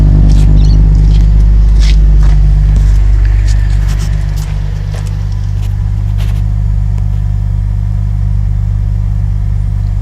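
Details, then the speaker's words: 2007 Holden VE Commodore Ute, 3.6L petrol LV2975 engine, just over 100,000 km: deep rumble swells when revved, then settles to a smooth even idle, no knocks or ticks; healthy engine. "I'll just start it up for you. This is a beautiful engine."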